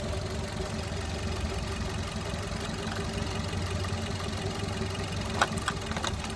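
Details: 2021 Maruti Dzire petrol/CNG with P0302 cylinder 2 misfire, P0300, P0171: cylinder 1 coil unplugged on top of dead cylinder 2 makes idle lumpier with heavier uneven shake, showing cylinder 1 works and fault is cylinder 2.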